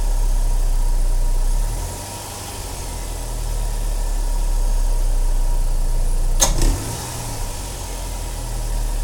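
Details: 2007 Saturn Sky non-turbo, just fitted with a K&N 69-Series Typhoon cold air intake and cleaned MAF sensor: steady idle with one sharp click as the throttle first opens; source unknown.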